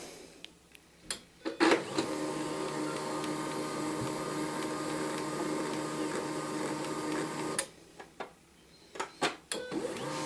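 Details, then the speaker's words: HP LaserJet 1022, bought new in 2005 with original cartridge, reassembled and running a test page to clear residual toner: a steady mechanical whir with a soft rolling rhythm for about six seconds, then stops; normal printing. "We'll run one test page through it, which will clean out any residual toner."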